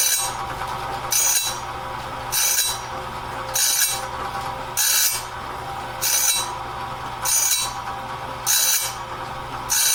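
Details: Clarke heavy-duty sawmill blade sharpener at medium speed, sharpening a 2-inch-wide, 223-inch bandsaw blade; even, sharp, hissy grind bursts about 49 a minute over a low hum at a steady feed, working normally and leaving the blade fully sharpened.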